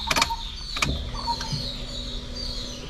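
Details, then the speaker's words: Suzuki Alto petrol car at key-on: a couple of clicks, then a faint steady buzz about two seconds as the fuel pump primes and pressurizes the line; normal. "අන්නේ එන සද්දෙන් වෙන්නේ fuel line එක pressure වෙන සද්දේ."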